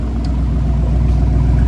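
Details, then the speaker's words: Spec Iron Mustang race car after rebuild, earlier wouldn't start, owner suspects bad gas: deep, steady low rumble with an even pulse, no misses or stumbles; now running cleanly. "the car is running now I think it had some bad gas in it it wouldn't start beer it would run really well uh but now you can hear it's burning pretty good"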